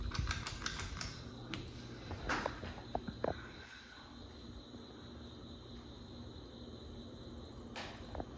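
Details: 1990s ceiling fan, possibly a Litex Starbright, on high, after a missing blade screw that made it bang against the housing was replaced; one blade slightly warped: handling clicks, then a quiet, smooth, even hum with no wobble or ticking.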